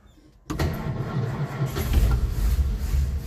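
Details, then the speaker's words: Old four-stroke Nash whose cracked glass fuel-pump sediment bowl was replaced with a fence-post cap. It cranks unevenly and never catches; the filter is empty and no fuel reaches the pump. Crank no-start, fuel pump possibly lost prime. "get no fuel. we're getting no fuel. We're out of pump's not working. Dang it."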